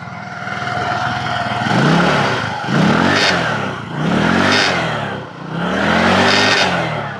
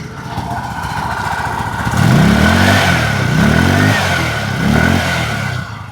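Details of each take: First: Scooter revved at idle: each throttle blip brings a raspy, puffing blat over the rising engine note; the exhaust bolt had broken and fallen out, leaking exhaust, fixed by extracting the broken piece and fitting a new bolt. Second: Scooter after replacing a broken exhaust bolt that had caused a strange noise on acceleration; engine blips up and down three times with pitch rising and falling cleanly, no rattle or buzz; normal revving.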